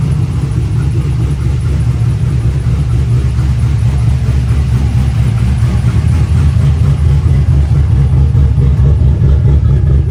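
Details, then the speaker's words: 2008 Chevrolet Silverado LS V8 after an exhaust rebuild: stock exhaust manifolds, new Y-pipe and catalytic converter, custom 3-inch exhaust with an inexpensive chambered muffler. Deep, even V8 rumble with a steady low throb, no rattles, leaks or drone; healthy exhaust note. "wow it actually sounds really good super impressed that buler was like 40 something bucks seems like a great deal to me"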